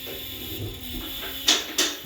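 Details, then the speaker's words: Dannmar M6 lift lowering with locks released: two sharp metallic clicks about a third of a second apart as the safety latches pass each lock position. This is normal operation. "Now I'll come down, and you'll hear it go through the locks."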